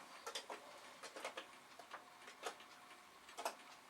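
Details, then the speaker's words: Commodore PET 2040 dual disk drive, likely upgraded to 4040, freshly powered on: soft, uneven clicks every half second or so in a quiet room as the head steps normally; drive one later reads fine. "oh it sounds like things are happening with the other drug has started up this is encouraging"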